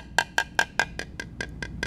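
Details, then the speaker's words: Composite tap test on aircraft part: ten evenly spaced taps, first four ring sharp and high, later ones go dull, thuddy and flat over a delaminated area; delaminated composite gives dull tap response. "no noise that's a major change a thuddy kind of sound as opposed to something that's high pitched and again i'm in an area now where there's delamination right big change"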